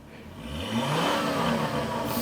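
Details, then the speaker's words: 5-cylinder turbo Volvo after new NGK performance spark plugs for a bad misfire: starts quicker, revs up cleanly and smoothly with faint exhaust pops, no misfire stumble. "damn hey yo so your car was badly misfiring cuz now it pops a little bit of Pops so yeah man that that sounded that sounded pretty damn good not going to lie"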